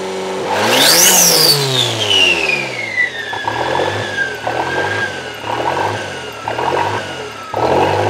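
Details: Toyota 3E-TE engine at startup: after a sharp rev, the idle keeps bouncing between about 1500 and 2500 rpm in slow waves, and revs drop back after throttle. The engine seems to get hot, and the cause is unknown.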